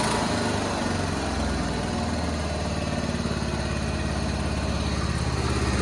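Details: 1976 John Deere 300 with a binding starter, running after a hard start: a small single-cylinder engine puttering at a fairly steady idle with a slightly uneven beat; running fine.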